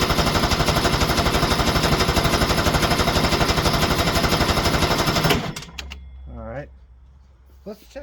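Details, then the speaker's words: 1973 Ski-Doo 399 twin two-stroke snowmobile, barn find, started on choke: fast even popping about four per second, then sputters and dies after five seconds; fuel delivery from tank to carburetor confirmed faulty when a jerry can kept it running. "we're going to test the theory of a fuel delivery issue so we're going to go ahead and put a Jerry can on and see if it had sucked in there and stay running"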